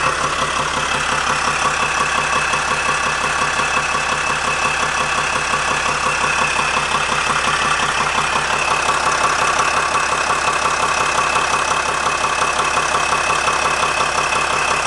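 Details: 2007 Sprinter diesel at idle: steady, rapid knock about two beats a second over the clatter; owner suspects the torque converter, unconfirmed.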